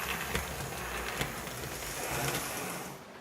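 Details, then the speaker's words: Athearn C44-9W model locomotive with reinstalled Northwest Shortline motor, taped in after a failed install: runs on track with whir and intermittent sharp clicking in the drive, coming and going. "however you're not a little little clicking creeping in there acting pretty decent right at the moment"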